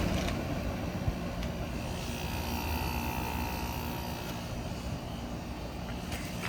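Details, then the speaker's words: Friedrich Xstar air conditioner after cleaning. Low, even hum with steady fan rush and no rattles or straining; the compressor sounds happier than when the coils were flattened. "definitely sounds much happier this time around compressor used to get angry seems like when it was when the coils were flattened"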